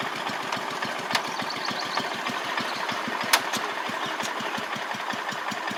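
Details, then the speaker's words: Restored 1985 Wheel Horse 312-8 garden tractor, after a multi-month revival: steady, even idle putter with clean regular firing and no misses, knocks or hunting on a cheap aftermarket carburetor that works well; normal idle. "The carb's pretty good when it idles like that. That's nice, ain't it?"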